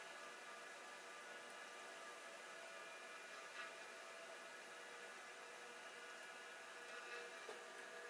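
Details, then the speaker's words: Old hard drive, one of a TM602S/TM603S pair, spinning after a tap freed stiction; red light not on: quiet, steady whir with faint constant tones, no scraping or grinding; normal spin. "I was just looking for the red light. The red light is not on. But the drive is spinning."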